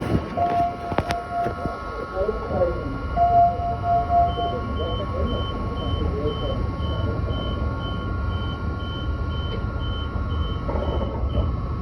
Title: Does anyone know what this weird noise was I think it was the air vent set 83 airport line.